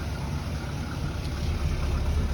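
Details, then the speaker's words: Chevy C10 farm truck, V8, cold start after new exhaust and tune-up (previously ran poorly): low, quiet, even rumble, no misses; idling much smoother, healthy. "All right, so we're running. Definitely a lot smoother. Oh, it's idling nice. Listen to her."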